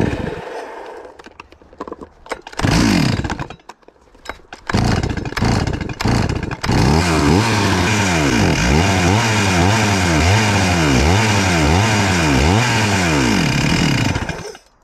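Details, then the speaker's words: Stihl MS441 chainsaw with 145 psi compression, warm: the idle won't settle, revs hunt up and down every second or so and throttle must be feathered; sounds like it is running really lean. "as you see guys it just won't stay idling now that it's warm so it's idling really erratic when it's warm and i gotta feather the throttle it kind of sounds like it's running really lean"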